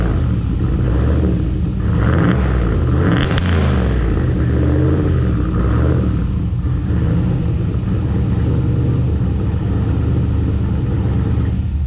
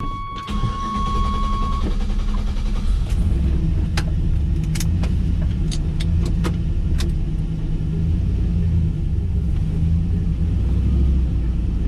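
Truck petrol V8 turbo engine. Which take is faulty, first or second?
first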